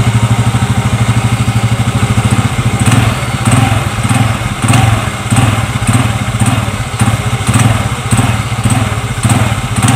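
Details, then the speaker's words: Xeon GT125 scooter with a complaint of clunking from the CVT when first opening the throttle, after replacing the small clutch-shoe seat bushings; blipped repeatedly from idle, it picks up smoothly each time with no clunk. "Ini sudah saya ganti bantalan bantalan dudukan kampas ganda ya maaf bantalan dudukan kampas ganda yang kecil buladi tegas sekarang kita lihat hasilnya"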